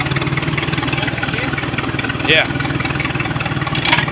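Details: Mercruiser 3.0 L Sea Ray boat engine, previously a no-start, now starts and idles with even, regular firing pulses and a couple of brief background squeaks; runs cleanly.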